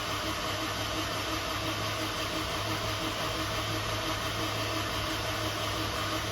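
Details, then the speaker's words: Normal cranking: dry crank of a new motor in an F24 with no spark plugs, injectors unhooked and no belt, to build oil pressure. Even, steady churning starter hum with no knocks or scrapes; oil pressure comes up, no leaks. "we're going to go ahead and get oil pressure see how she sounds good it can take a while there it is"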